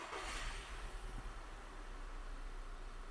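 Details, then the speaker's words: VW Tiguan with combustion misfire code: new spark plug fitted in cylinder one only to isolate fault; starts to lumpy uneven idle with irregular low thumps and shaking, check-engine light starts flashing; plug was not the cause, cylinder one ignition coil faulty. "ele continua vibrando. Continua a mesma vibração, a luz está apagada por enquanto."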